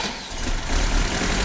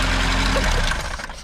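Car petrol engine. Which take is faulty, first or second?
second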